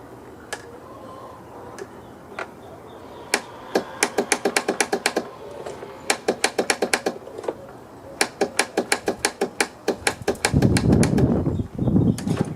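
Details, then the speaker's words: Craftsman YT4000 lawn tractor, sat in a barn for years, battery fitted: sharp dry solenoid clicks in quick irregular bursts with no cranking, because the starter motor is missing entirely. "Well, what do you know? I just noticed there is no starter on this thing. I can hear the solenoid click."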